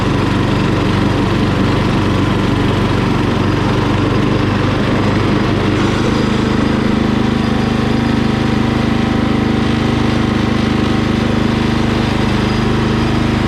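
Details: Murray small single-cylinder engine after carburetor cleaning, started off a jumper-cabled battery: holds a steady, even buzz at constant speed with no misses or surging; runs clean and healthy.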